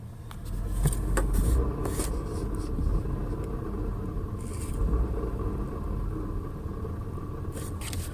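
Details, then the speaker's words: 2000 Ford Taurus, 145,000 miles, heard in the cabin before the fix: low rumble with metallic ticks and a scraping rattle like a penny in the dash; a broken motor mount was rubbing metal on its bracket. "it almost sounds like there's something in the - a penny or something rattling it's very annoying"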